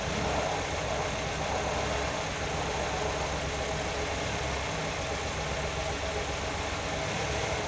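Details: Nissan GA16DE engine at its first start after repair: a smooth, even idle hum over a steady low rumble with no knocks, ticks or misses; the engine runs healthy.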